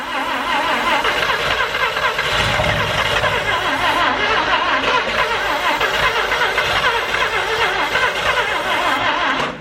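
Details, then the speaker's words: Mazda RX7 Series 1 12A rotary, first start attempt after sitting 10 years, plugs refitted, oil in, starting spray used: starter whirs nearly ten seconds with faint scattered chugs and coughs, no start; probably wants throttle/fuel, carb tuning unknown. "Probably wants a little bit of throttle. Alright, I reckon we give it some fuel. That's good though. Good sign. Yeah. Some little chugs. A little bit of a cough there. Some little chugs."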